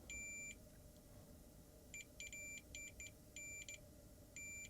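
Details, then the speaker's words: Samsung 55-inch TV contacts probed with multimeter: short high beeps cut in and out irregularly, continuity only intermittent; suspects damp storage degraded connections, plans to bridge them all. "Sometimes I think if this been left in a damp place, I think the connections are just not as healthy as they should be."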